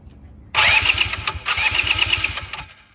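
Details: 2010 Polaris Ranger RZR 170 that sat for years, after new fuel pump and long cranking to prime fuel: starter whirs briefly, then the small engine catches and runs at a quick even idle; normal start.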